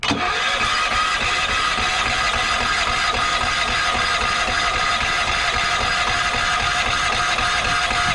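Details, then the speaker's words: Yamaha EF4000DE generator on propane, electric starter on jump box: busy even cranking churn that never catches; believed flooded, too much fuel and not enough air because the choke was held shut. "So I do believe that is why this would not start. It's because there was too much fuel, not enough air, because the choke was slapped shut."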